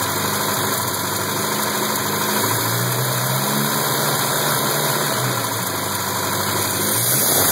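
Idle runs rough and uneven, with a stumbling, irregular beat under the steady hum, typical of a cylinder misfiring.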